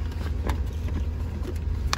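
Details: 2003 Ford Ranger V6 at idle, just restarted after work for P0303, P0300 and P0316 misfire codes: smooth, even low rumble with no stumbles; running clean on all cylinders.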